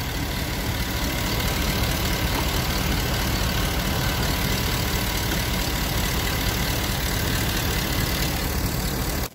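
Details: Vehicle idling after spraying 3-in-One silicone lubricant on squealing serpentine drive belt pulleys and cleaning belt: steady even idle, low hum, no squeal or chirp; temporary fix, belt now quiet.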